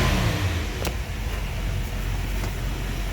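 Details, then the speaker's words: 1974 Ford Bronco freshly rebuilt V8, revving; deep steady rumble with smooth rev swell, no knocks or misses, very torquey and running beautifully. "Very torquey engine."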